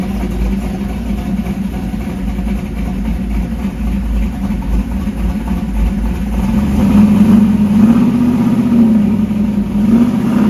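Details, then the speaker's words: 1968 Dodge Dart drag car, stroker small-block Mopar V8 with solid roller cam, warmed up after the throttle was adjusted up: steady lumpy cam rumble, revs rising slightly then settling. Normal warm idle. "you can hear the motor now now that it's got some heated because of that throttle adjustment it's picked up a little RPM"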